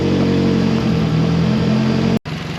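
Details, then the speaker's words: Freshly rebuilt 2AZ-FE in a 2007 Toyota Camry on first start, stumbling while it relearns: rough, loud idle with raspy puffing that dips briefly and recovers, from a leaking exhaust flex pipe still to be fixed. "it's a little noisy right now because we do have a leaky flex pipe that I do have to fix"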